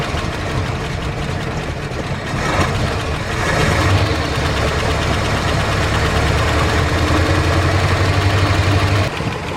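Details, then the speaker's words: 1978 Dodge D150 V8 after fixing top-end lifter tick following cam and head swap: steady, even idle, smooth low rumble, no lifter ticking, at most a faint exhaust tick; normal idle. "doesn't that sound a lot better, eh? I had a tiny little ticky from the exhaust, I believe. But boy, it sounds a heck of a lot nicer."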